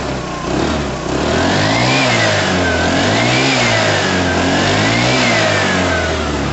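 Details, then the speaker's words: Piaggio Fly 125 scooter revved for the first time after it started: smooth revs rise and fall cleanly from a steady idle with no rattles or misfires. It sounds normal and is left running to sort itself out. "sounds normal to me guys to me that sounds normal i'm gonna let it run and kind of sort itself out a bit"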